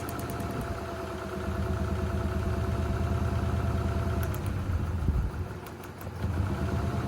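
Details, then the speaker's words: A Honda Accord idles lumpy and uneven, stumbling about three times a second; pulling plug wires one at a time, one changes the sound a lot, showing a dead cylinder. "That one changed it a lot. That one cylinder's dead. That changed it a lot."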